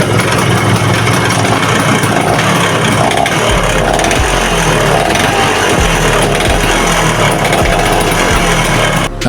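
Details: Vespa VBB two-stroke scooter, noisy at idle and under throttle: loud, rattly running with a harsh clattering over the exhaust, piston slap from a worn cylinder.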